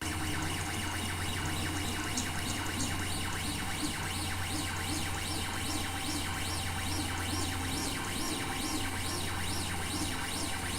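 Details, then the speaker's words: Ender 3 3D printer running the same G-code as the other printers in an office noise comparison, at 100 mm/s print speed: a constant fan hum under rapid sweeping, with singing stepper-motor tones rising and falling on each move. Normal printer operation. "Eu usei o mesmo g-code então para não variar a velocidade e nem aceleração nós tivemos aí o mesmo g-code sendo utilizado no caso da Ender 3 a gente teve esse ruído"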